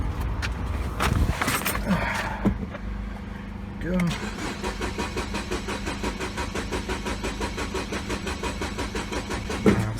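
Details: 2012 Mini Cooper Countryman 1.6L four-cylinder, towed in with no check engine light or codes: an even, rapid cranking rhythm with no firing stroke, cranks but no start. Fuel pressure is at least 40 psi.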